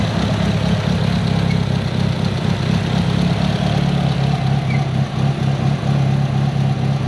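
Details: Built Mitsubishi Evo 8 with Kelford 272 cams, after replacing the failed IAC with a 2000-up Eclipse unit and a richer idle tune. A low, choppy idle loping unevenly about twice a second: the intended big-cam idle.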